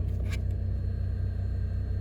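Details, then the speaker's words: 2009-2013 Toyota Matrix with stuttered starts, after the fuel pressure regulator was replaced: it started on the second attempt after key cycling, then held a steady, smooth idle with no misses, knocks or ticks. "And the second time it started up good, and now I'm going to go back here and make sure that there is no fuel leaking."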